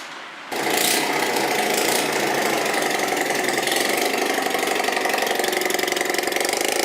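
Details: Bajaj Platina single-cylinder motorcycle run without silencer during engine repair: loud raw idle with sharp uneven ticking clatter over exhaust bark; abnormal engine sound, cause not identified.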